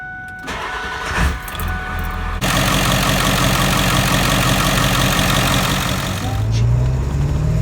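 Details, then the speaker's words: 2001 Ford F250 7.3L Powerstroke diesel after turbo replacement, aftermarket up pipes, pedestal without EBPV and IPR reseal; turbo primed by barely cranking 5–6 times, then it starts quickly and settles into a steady, even, healthy idle. "I did that about 5 or 6 times before starting it and letting it idle."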